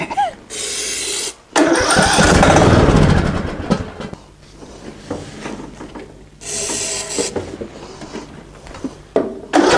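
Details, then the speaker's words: Greenfield ride-on mower that won't start, on a hot day of about 35 degrees: short bursts of cranking, almost catching each time but never running; the spark plug keeps getting fouled with diesel. "just pulled the spark plug out it was failed with diesel yet again the spark plug itself is okay but I think you just get keeps getting failed"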